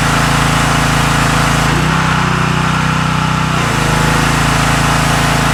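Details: Karcher K3000G pressure washer, previously not building pressure, running with water after unloader valve replacement: steady, even small-engine drone that briefly settles lower under load then picks back up; normal running.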